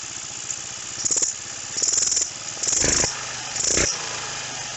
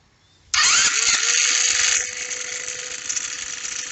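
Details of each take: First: Roketa 150cc GY6-style scooter with carb mixture screw being closed: engine revs in blips, then settles to a thin, uneven idle that falters and backfires slightly. Mixture too lean, wrong direction. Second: Roketa 150cc GY6-style scooter, first attempt at getting it running: fires straight away and holds a steady revving buzz with a slight rattle when given gas, pulling cleanly without missing or stumbling. Normal running.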